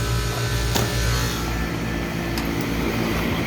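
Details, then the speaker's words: Old Lennox HVAC condenser after replacing the worn fan motor, new motor drawing about 0.7 A (rated 0.75), jumpered on: steady low fan hum with smooth airflow and no scraping or rattle; fan running quietly. "sounds a whole lot better feels good so we're gonna go take the jumpers off turn on at the thermostat"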